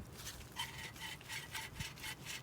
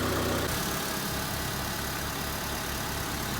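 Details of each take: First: 2001-2005 Honda Civic alternator, removed after charging problems following driving through water, spun by hand: dry, gritty rasping, rough scraping grind; the bearing is shot. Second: 2002 Honda Civic 1.7L after alternator replacement: steady, even idle with a low, regular pulse and no knocks, squeals or belt chirp; the engine runs smoothly and healthy.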